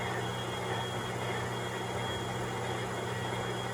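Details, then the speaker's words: MTH #57 Propane Turbine model locomotive (Proto 2.0, 2001) after replacing the noisy rear smoke motor and restoring the front smoke unit: smooth, even hum with a faint tone, no rattle or grind; normal smoke unit operation. "there we go problem has been solved turn the Smoke on the sound it's not like it was before"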